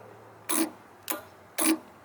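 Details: Relay on the vibrator wiring of a mini 1–1.5 ton compactor roller, grounded and tested by touching positive: three crisp, separate clicks about half a second apart in a quiet room as it snaps in; working normally.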